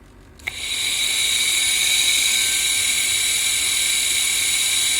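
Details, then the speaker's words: Engine cooling fan motor after cleaning its rusty, dirty parts, run on a battery with a switch: spins up quickly to a smooth, even high whir; the earlier whistling and noises are gone, running normally. "по крайней мере с виски и всяких шуму пропали"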